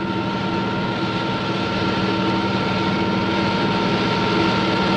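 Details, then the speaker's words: Model propeller in a water tunnel at constant flow speed and pressure, RPM increased continuously: loud continuous hissing roar with faint crackle over steady motor hum, from cavitation bubbles collapsing as they reach higher pressure; propeller cavitation. "The noise is generated by the collapse of these bubbles as they move into the higher pressure in the diffuser."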